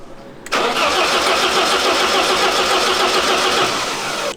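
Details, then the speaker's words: 1988 BMW E30 M3 left non-running nearly a decade; one cylinder lower compression. Catches and runs a few seconds with an uneven, lumpy pulse around three a second. Rough running; fuel pressure in doubt. "So, it it runs. It's not happy, but it runs."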